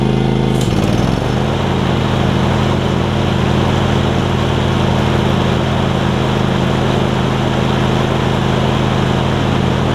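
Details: John Deere LX277 riding mower with a deck swapped in from a parts LX178, started to cut grass: small engine picks up revs, then holds a steady, even, quiet drone with no stumbling or rattles; normal running.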